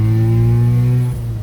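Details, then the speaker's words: 1993 Mazda RX-7 FD rotary, exhaust leak from a hole at the mid-pipe hanger: loud droning low exhaust note while driving, with a rough, blatty edge. "rotary car with an exhaust leak sounds like total crash i mean trash trash"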